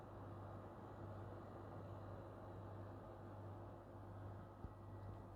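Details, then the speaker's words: PS5 Pro (CFI 70) in game running its original Delta cooling fan, compared against a louder Foxconn Slim fan; soft, steady low hum with even airflow hiss, no ticking or whine, quiet and healthy. "so you can put in slim fans but they are going to spin too fast and they're going to be too loud and this is normally the most silent one and you heard it"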